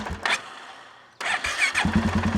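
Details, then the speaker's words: 2016 Polaris Sportsman 570 with freshly rebuilt engine; starter turns over slowly before catching and idling steadily; charging 14.3–14.4 V but battery 12.2 V off, tester says AGM battery bad, replace, weak battery. "turns over a little slow we test the running voltage it's 14.3 14.4 so that's good so it's charging good but if we shut her down even if we immediately check it it's at 12.2"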